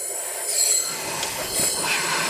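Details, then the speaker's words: 2008 Subaru Legacy 2.5 SOHC replacement engine, cylinder 4 misfire: piston at TDC on compression with compressed air applied and the engine off. A loud steady hiss of air escapes through the exhaust because the exhaust valves are not sealing. "can you can someone tell me why those exhaust valves are not sealing"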